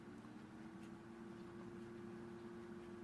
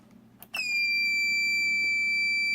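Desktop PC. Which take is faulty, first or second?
second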